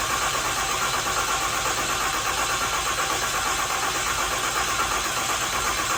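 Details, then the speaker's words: Freshly built deckplate Cummins diesel before break-in, injector plugs unplugged, cranked in neutral to build oil pressure: even starter churn at about three turns a second, spinning over without catching; normal priming crank without firing. "what that means is we're going to disconnect our injector plugs here one and two and this allows you to crank the engine over to build oil pressure without firing the injectors"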